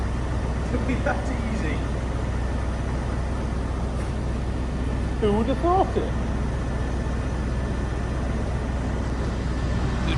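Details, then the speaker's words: 1996 or 1997 Range Rover P38 HSE V8 barn find, running after first start: low, even burble with steady beat, no misses or ticking; smooth, normal idle. "purring like an absolute K now bit disappointing really cuz a Will it start video ain't meant to be that easy is it"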